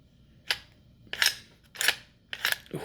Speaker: grinding bad i can feel it too